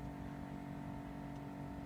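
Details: 2007 Chevrolet Astra 2.0 8v at the first key turn, ignition on, not cranking. A steady mid-pitched electric hum that is intermittent, possibly more often on hot days; the owner suspects the fuel pump or electronic injection, unconfirmed.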